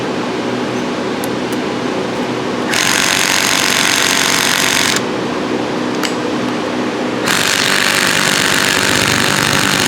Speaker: And you hear it? It's sending a vibration all the way down. Now we're going to go up again. Click it one more time up. What we're trying to do is shake the rust off those screws.